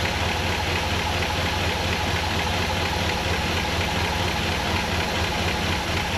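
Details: 1959 Ford Fairlane 500 after a tune-up, with the carburetor still not quite right. Uneven, loping idle with about two hitches a second. Misfire from crossed spark plug wires: wires six and seven were swapped, breaking the firing order.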